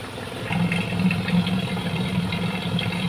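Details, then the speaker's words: Standard Suzuki Katana at pre-purchase check: quiet, even idle with a steady low hum and no knocks or misses; stable, calm engine sounds healthy; heavy vibration could point to engine mounts. "teman-teman juga bisa lihat dari getaran mesin ya dia stabil dia tenang tidak naik turun untuk kondisi mesinnya ya"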